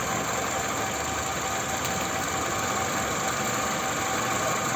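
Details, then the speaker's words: Toyota Camry 2.4 2AZ-FE after a new tensioner was installed: steady, even idle with a smooth hum and no knocks. The balance shaft noise is gone and the engine runs well; only the engine mounts are worn. "всё парковка двигатель отлично работает друзья"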